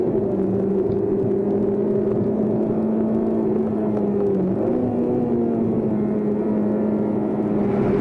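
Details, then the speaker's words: Honda Type R 2-litre i-VTEC engine held at about 8,000 rpm: smooth, sustained high-pitched howl, clean and even with no knocks or rattles; healthy. "There are few cars on the road that sound as sweet as a 2-litre VTEC engine like this at 8,000 RPM."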